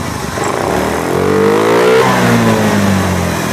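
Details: Honda Beat eSP scooter after repair of a no-start fault (ignition cutting out after seconds) caused by a broken wire in the harness: clean throttle blip rises smoothly and settles, no misfire or stumble; normal running.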